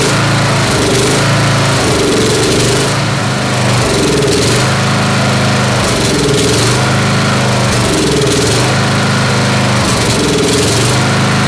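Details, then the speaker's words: Snapper SR-Series mower with 10HP Briggs & Stratton engine, stored 10 years, running on an Amazon aftermarket carburetor with a 30-thousandths jet, full choke: runs fast but stumbles and surges about every 1.5 s under no load; missing, not backfiring; needs tuning. "Missing over there. It's not backfiring from here. I heard it missing over there."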